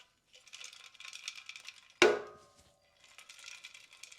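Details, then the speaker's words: Aviav Aldo carbon bike wheel after 2.5 years' use, speed wobble descending at 30-40 mph, noticed after steam cleaning; light scattered rattling clicks and a sharp knock as the wheel shifts. Loose debris inside rim; rim tape removed, nothing found, spokes still tensioned. "I thought something was broken inside the wheel. So I took the rim tape off and then had a look. Couldn't find anything."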